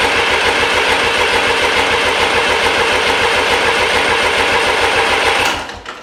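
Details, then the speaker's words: Restored 1993 Lombardini diesel generator engine: steady fast cranking that never catches while injectors are bled, no fuel reaching the injectors. Crank no start, no fuel at injectors. "and all three of those diesel pipes it actually left undone so that was the problem while we wasn't getting any diesel up at this end"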